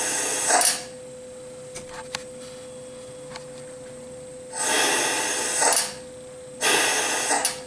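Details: Mitee Bite VM300 venturi vacuum pallet on a Tormach CNC mill, pulling a G10 sheet down onto an o-ring. A loud airy hiss comes in bursts of about a second, cutting off cleanly between them: normal vacuum operation.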